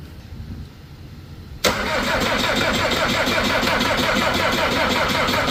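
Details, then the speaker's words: Skid loader diesel in cold, windy weather: starter cranks with a steady chug, nearly four beats a second, but it never catches. Fuel filter was gelled hard from cold; after releasing air it softened and fuel is being primed. No-start from fuel starvation. "Tell you what, when it gets cold, it never fails."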